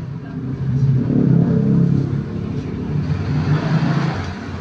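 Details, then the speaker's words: Yamaha Mio Smile scooter test ride after carburetor air screw set to 3 turns, previously stuck around 40 km/h: engine note climbs and holds smoothly under throttle with no hesitation or bogging; normal acceleration. "ini masih normal ya tidak latihan dan sudah dapat jalan dengan bagus bisa langsung tarik gas tidak ada stuck ya di tengah-tengah"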